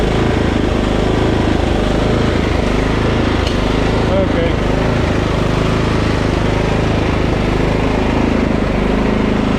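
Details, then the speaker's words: Husqvarna LT 1538 riding mower with Kohler CV15 single-cylinder engine, old ethanol fuel. The engine hunts, its speed wandering up and down, and clears briefly when the mixture is richened. Fuel issue from a gummed-up carburetor, cleaned as the fix. "okay now I still don't know if it's charging but I'm convinced that we're having a fuel issue usually hunting like that is a fuel issue"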